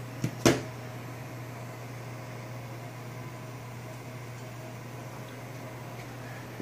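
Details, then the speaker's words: APC Smart-UPS 1500 sinewave inverter rewired with 6-gauge cable, about 1400 W load at 75 A on 24 V: steady low hum at one pitch; battery connectors near 80 degrees, owner suspects them as the humming source. "oh yeah those connectors at the top are getting hot I need to that's could be the source of the humming it's about 80 degrees"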